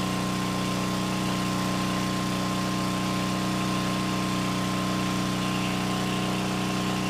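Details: Free generator after cleanup and freeing governor, auto-throttle fixed-RPM unit run indoors: steady, even hum at constant governed speed, no surging or misses. Normal running.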